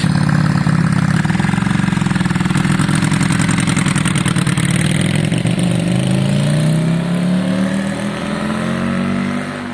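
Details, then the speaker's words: Yamaha Virago V-twin running after a new spark plug: steady, even beat rising smoothly with throttle, no misses; sounds better, though carb balance may need redoing; normal running. "it looks better it sounds better it don't look particularly quick but let's see"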